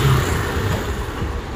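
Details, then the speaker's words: Honda Spacy 110 scooter after cracked engine block replaced and clutch assembly fully renewed: loud, steady high rev with crisp even firing, no knocks or rattles; engine sounds healthy and strong. "arkadaşlar motor o kadar güçlü oldu ki yanlıyor bir daha marşımıza basacağım aşamasında O da Kullandıkça kesecektir"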